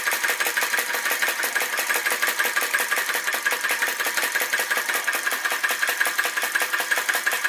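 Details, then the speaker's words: Flame Licker Flame Gulper VE-01 crossbeam vacuum engine with added drive pulley, driving a Baker fan after fine flame adjustment: crisp, regular puffing near three beats a second, steady and even under load, working hard but running properly. "it's working hard you can hear it working hard very fine adjustments make such a big difference"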